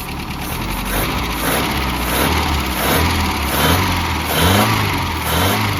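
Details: 1988 Mazda B2200, carbureted, first start after 13 years abandoned, with the carburetor fitted and ignition reconnected: loud, rough idle with an uneven rumble that swells when revved. Exhaust is loud; the muffler is blamed.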